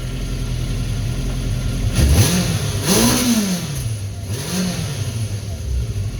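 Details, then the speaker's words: 1970 Honda N600 with its motorcycle engine, carburetors and dual mufflers, started at about 55°F. It revs cleanly up and down through several blips with no stumble, not flooding and fairly quiet: running healthy. "but anyhow it's revving up its eyes I'm good it's not flooding and it's fairly quiet can't even hear I'm a happy boy"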